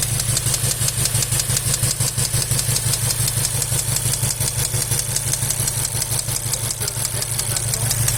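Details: Volkswagen Golf 7 R engine knock: a sharp, regular clack about three times a second over a steady running engine, coming from inside the engine.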